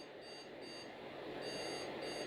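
Short high beeps repeat in an even pattern at power-on with no other sound, the motherboard warning of a memory fault.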